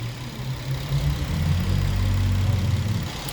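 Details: 2014 Infiniti Q50 with a P0340 code and bank 1 intake timing reading -17, camshaft sensor already replaced. Low, uneven idle that lurches and surges; misfiring, cause not confirmed. Rough running with misfire.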